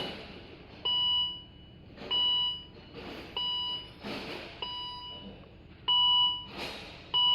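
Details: 2012 Volvo XC60 with no crank, no start: double-tone dash chime repeating about every 1.25 s in a quiet cabin, with brake failure, SRS, shift to P and charging warnings and no communication with the engine or transmission modules; fuses, relays and wiring checked OK.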